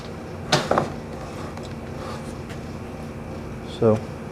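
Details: Embraco fridge compressor built in 2009, from a Whirlpool side-by-side fridge, with a start capacitor in the circuit: two short buzzing hums as power is blipped, and the motor never spins up; the rotor is locked by a worn main bearing.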